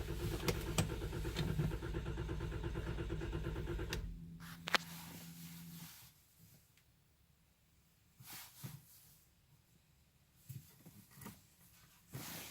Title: 2012 WK2 Crank No Start - CC150722